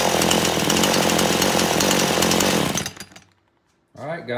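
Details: Chainsaw after carburetor adjustment restarts and revs crisp and even for three seconds, no stumble or bogging, then cuts out cleanly; running healthy.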